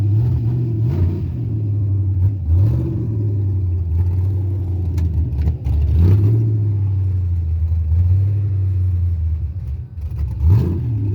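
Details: Carbureted 5.3 LS swap in a Mustang with MSD LS-series ignition: a deep, steady rumble held at a high idle with a few short throttle blips. It starts and dies and idles fast; carburetor, timing or vacuum leak suspected, not confirmed.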